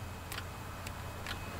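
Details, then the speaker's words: Toyota Solara automatic with code P0766 that won't upshift into 5th: shift solenoid 4 is powered by jumper wire and gives three sharp clicks inside the transmission. The solenoid measures about 12.4 ohms. Normal solenoid click. "when I send power to the solonoid I can hear it click inside the transmission"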